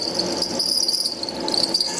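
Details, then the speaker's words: HSD electric spindle cooling fan on a CNC router, heard from above: a thin, wavering high-pitched squeak over the fan's hiss that comes and goes; the fan later stopped completely and was replaced. Dry bearing suspected. "so the fan's on now i don't know if you can hear it tweaking squeaking see it stopped again"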